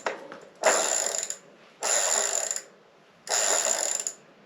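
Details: Newly installed replacement freewheel on a classic 5-speed mountain bike, after the old one lost its tick: three hand spins, each a fast crisp ticking that slows and dies away; pawls clicking cleanly as they should.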